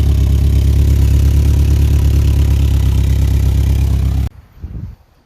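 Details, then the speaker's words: Toyota Previa after overhaul, first start with valve cover reinstalled and distributor tightened: loud, deep idle with a rough puffing beat about four a second from a massive exhaust leak at the rear, needing welding at an exhaust shop. "now you can clearly hear the massive exhaust leak going on that is from back here"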